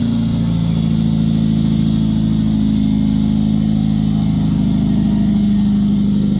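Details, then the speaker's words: First startup of the swapped engine in a MK1 VW Rabbit pickup, with harness, throttle body, fuel lines and coil, cooling not yet done; no fuel leaks. Fires and holds a steady, even idle with a smooth low drone, no knocks or misses. Normal running. "does no le think we're good good yeah no leaks no leaks no fuel fuel leaks or anything no fuel leaks mainly and we got it we still have to do the cooling but we fire it up that's what pretty much is important"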